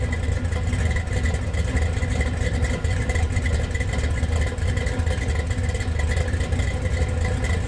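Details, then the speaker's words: Budget Gen VI L29 454 big-block V8 with ZZ502 hydraulic roller cam running on an engine stand (alternator found not charging): deep even rumble, no knocks, ticks or misses; runs smooth and healthy. "So thanks to James for letting us come over and get this thing lit off. It sounded pretty good."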